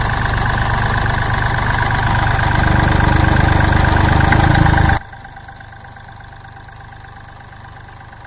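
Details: Mahindra Bolero Power Plus diesel with complaints of low pickup, body vibration and missing after engine work, idling after injector nozzle settings were raised two points; steady clatter about 210 a minute, then the sound drops sharply: even, normal idle.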